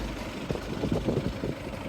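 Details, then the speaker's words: Engine idling cold after the knock was cured: steady, even idle with a soft low rumble and no knocking or ticking; normal idle. "Лепота. Приятный, правильный звук работы мотора. А холодный такой звук."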